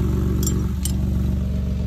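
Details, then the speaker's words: Jeep Liberty idling after DIY repair of cracked exhaust pipe with new flange: steady low rumble with faint puffing tick; still sounds like an exhaust leak though much quieter, owner suspects a hole in the muffler. "still sounds like an exhaust leak but it's a hell of a lot quieter than what it was maybe there's a hole in the muffler or something"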